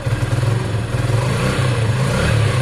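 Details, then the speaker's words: Sinnis SC125 single: revs surge and sag, stumbling at one small throttle spot. Throttle hesitation before the CG performance carb was fitted. "see it there you saw it clearly there it kind of stumbles again"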